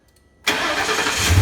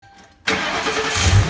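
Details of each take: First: 2004 Ford Crown Victoria V8 at 170,000 miles after replacing the driver's side exhaust manifold and broken studs; quick crank, then it catches and settles into an even, smooth idle with no ticking: normal start and idle. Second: 2004 Ford Crown Victoria V8 at 170,000 miles with two broken exhaust manifold studs at the back of the driver's side; catches and idles with a faint, regular tick over the rumble: exhaust manifold leak tick.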